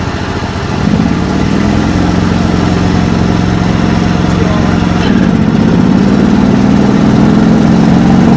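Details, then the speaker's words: 1989 John Deere 285, Kawasaki FD590V V-twin, before repair: idles, then note sags and labours unevenly with PTO engaged and in thick grass; bogging under load, suspected weak ignition coils. "So she didn't like moving through that thick stuff. Something's not quite right, and hopefully it'll be what I've troubleshot it as the ignition and the coils."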